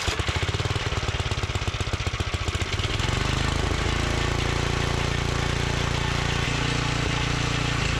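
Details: Old Montgomery Ward tiller with Briggs and Stratton engine, started outside after confirming good spark. Catches with fast chuffing, then settles into a steady, even single-cylinder run with no misses or knocks; running fine.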